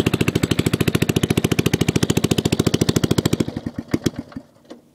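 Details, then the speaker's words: MTD 5hp rotary tiller running after sitting about 7–10 years on old gas, new plug, points and condenser, carb untouched: harsh loud fast popping exhaust, slightly uneven, sputters and dies; muffler rusted through, nearly straight-piped. "and it was running on seven-year old gas it is extremely loud as you can hear"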